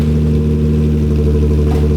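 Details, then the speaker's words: Nissan 350Z VQ V6 after rebuilding its broken custom exhaust with a nicer muffler: a deep, steady idle drone, full but not harsh, far quieter than before. Normal exhaust note. "It's like almost, it's not quiet, but it's not like super loud either. Yeah, it's way quieter."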